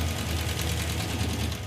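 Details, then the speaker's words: Hemi V8 Gremlin, listened at valve covers: loud, fast, even ticking over deep idle that grows louder; valve train noise, suspected collapsed hydraulic roller lifter or loose/misadjusted rocker, not confirmed. "Well, the number one problem here is the valve train noise. It's really loud and I think it's a hydraulic roller lifter that's collapsed."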